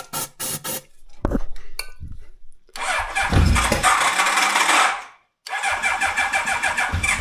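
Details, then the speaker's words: 1985 Honda CB1100F stored about 20 years, first start after carb clean and fresh fuel: starter churns, engine catches and revs to about 9,500 rpm, bogs briefly once, then revs cleanly; owner thinks it needs running to clean up. "First time it was a little bit bogging, uh but the second time it went fine. So, I think it just need to run a little bit to get back and clean up all the places"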